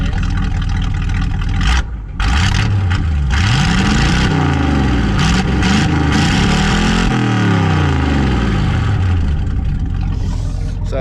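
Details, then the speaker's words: Truck with straight-pipe 350 V8, in neutral with squishy clutch: loud, deep unmuffled rumble rising and falling smoothly with throttle blips; running normally. "that's a straight pipe 350 currently shut her off"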